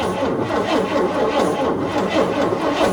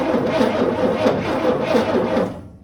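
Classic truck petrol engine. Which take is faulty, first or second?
second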